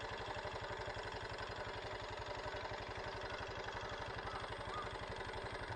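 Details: Honda Super Cub JA07 idling after suddenly turning noisy: quick light ticking clatter, about four taps a second over the beat; the owner says it never made this sound before, cause not yet confirmed.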